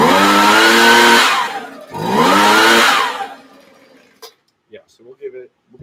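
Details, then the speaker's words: Small two-stroke engine after finding its throttle adjustment screw: two crisp revs climbing cleanly in pitch, then dropping off; it runs beautifully. "But as you can hear, it's running beautifully. Really, really, really happy with that."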